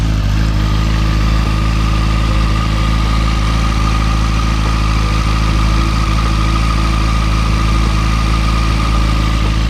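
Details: Motorcycle just after new spark plugs replaced the old ones: the idle holds a steady, even low drone with no hunting over ten seconds, unlike the earlier up-and-down idle. It sounds smooth.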